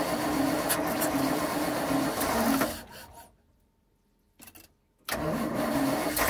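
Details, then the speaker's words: Zenith 48 VIR carburettor, fuel bowl refitted after fixing a leaking lead bung seal. On a mechanical fuel pump, the starter cranks, pauses and cranks again without firing while fuel refills the float bowl. "We have to crank it a bit to get fuel into the float bowl because we're now on a mechanical fuel pump."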